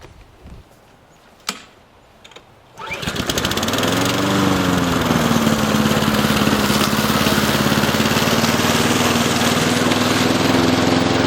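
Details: Old Briggs & Stratton 6.5 OHC lawnmower, left outside all winter: cranks and catches within a pull, then a steady, even single-cylinder drone with no misses or hunting; normal running.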